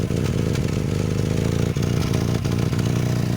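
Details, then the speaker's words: Volvo 240 (245 wagon) at cold idle, hunting: rough, puffing chuff on exhaust note from a few small holes in rusted silencers; exhaust leak. "you can probably hear the exhaust blow. That's a recent development. I haven't had time to fix it."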